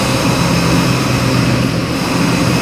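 Big V8 lights off and holds a loud, steady, even rumble with no knocks or misses; runs healthy.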